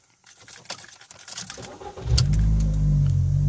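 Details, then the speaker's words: 2006 VW Polo 9N petrol engine starting and settling into a fast, very rough, uneven high idle caused by a damaged vacuum hose leaking vacuum, which also leaves a very stiff brake pedal. "that the car idles quite high it's a very rough idle"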